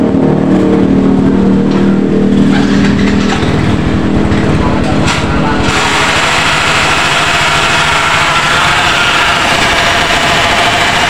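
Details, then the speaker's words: Yamaha Mio Soul GT scooter after its broken kickstarter area was welded: harsh, uneven clicking grind, three or four a second, from the CVT side; kickstarter pinion scraping inside the CVT. "kira-kira seperti itu ya untuk suara di motor miosul GT ini berisik di bagian cpt-nya"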